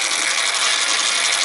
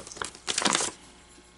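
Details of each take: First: American Changer first-generation green stripe coin hopper, in for excessive noise and vibration, running: harsh, steady gritty grinding with hiss and no rhythm — worn gears in the hopper gearbox. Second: American Changer first-generation green stripe coin hopper, after disassembly, gear change and regreasing with synthetic clear grease, run with two coins; short motor runs with mechanical whirr and light rattle, no grinding; normal.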